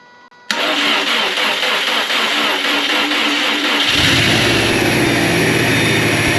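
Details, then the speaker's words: Subaru Legacy GT, first startup after an engine rebuild: the engine catches and settles into a fast idle with a loud steady hiss from the intake. The intake manifold gasket was accidentally pinched on install, causing a vacuum leak; the power steering pump also whines slightly. "You can probably hear the massive vacuum leak coming from the intake. I pinched the manifold gasket by accident when I put it in, but that's not causing any issue right now."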